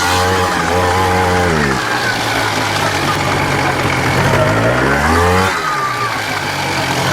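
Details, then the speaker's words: 1993 Polaris Sportsman ATV single-cylinder engine revving up and settling twice, running smoothly under a ride after water pump seal and counterbalance shaft repairs; the transmission still clunks but is much quieter than before. "That's what I'm talking about. Runs pretty good. Doesn't stop wear a but runs pretty damn good. Well, runs pretty damn good."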